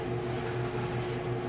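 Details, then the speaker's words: GE dryer after fixing a squeak, running with a steady even motor-and-drum hum and no squeak or rubbing; the tub had been hitting the cabinet edge and was readjusted. "now it's nice and quiet so what we'll do is i'll put the top on and retest it again"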